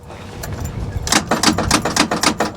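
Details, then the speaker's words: Salvage-auction car with a manual transmission, sitting with wheels not turning: turning the key gives only a rapid train of sharp clicks, about four per second, with no cranking; the engine sounds locked up (seized). "he's talking himself into it all right [Music] oh sounds like a locked up motor"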